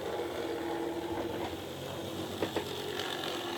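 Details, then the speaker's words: OO gauge Mehano locomotive with an open-frame motor, run forward then reversed after servicing: harsh rattling high-pitched buzz with gritty mechanical chatter; a noisy open-frame motor running rough. "right so you'll hear this one you hear how noisy that is i'll just reverse it hear that that's horrible"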